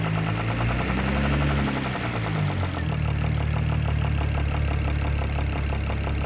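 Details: BMW E92 335i N54 at idle: low drone settling after a dip with a fast, steady ticking knock on top, owner thinks from the top end but unsure; source not pinned down.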